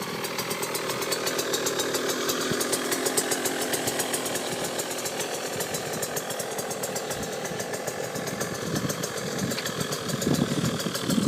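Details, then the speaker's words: 2009 KTM 125 SX two-stroke on a work stand, with about 2 minutes on a new OEM KTM top end after rebuild; a crisp, even crackle at steady idle with no misfires, knocks or rattles. Normal, healthy idle. "I definitely recommend that stand, but great bike, looks good, smells good, runs good."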